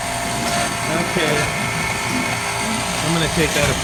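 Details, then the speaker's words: Hoshizaki KM630MRE ice machine on R22: a constant harsh, gritty rattling whir under the running noise from worn water pump motor bearings. The evaporator plates still need checking before the pump is replaced. "definitely the bearing have worn out"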